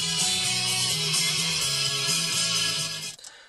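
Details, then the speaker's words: 2001 Dodge Dakota, new aftermarket front door speakers replacing blown stock one with deteriorated foam surround; guitar music plays clearly, slightly light on bass, no buzz or rattle. "so my guess would be that the the rear speakers are probably in similar shape but uh I don't hear them rattling they sound okay to me"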